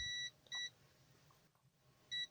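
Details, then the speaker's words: Gigabyte P550B power supply with standby problem: meter beeps steadily in both directions on a part removed from the PCB, shorted; tester shows it is a low-resistance resistor. "Let's check it off the PCB, make sure that it's the bad guy, and it is the bad guy, as you can hear,"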